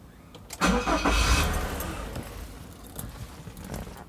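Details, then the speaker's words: Nissan Serena C24 QR engine with crumbled rubber at the accelerator pedal not fitted, engine warning light on: starter spins briefly with a short burst but the engine does not catch; crank, no start. "Okey, jadi antara penyebab tanda enjin, okey, tanda enjin itu keluar. Langsung tak boleh hidup dah."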